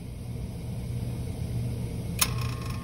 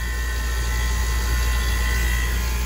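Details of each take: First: 30-year-old water-cooled walk-in cooler compressor that has been down for weeks gives a deep, steady hum, fails to reach running speed, draws 31 amps, and clicks off on overload about two seconds in. It is a hard-start failure before a hard start kit is fitted. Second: 30-year-old water-cooled walk-in cooler compressor restarting after short cycling on overload at 31 amps: constant low hum with faint steady tone, no clicking off; sight glass full, not flashing; running normally.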